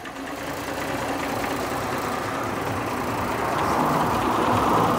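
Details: 1949 Armstrong Siddeley Lancaster idling: light quick tapping about three times a second over an even rumble; source unclear; tapping at idle.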